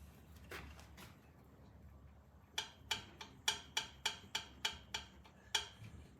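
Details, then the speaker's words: Vintage British motorcycle engine at top dead center, valve clearances set about 8 and 10 (thou): about eight crisp, clean, even metallic ticks as the rocker is rocked by hand; clearance correct, sounding good. "holding it up tapping it down so you got a good8 and 10 here they even sound good"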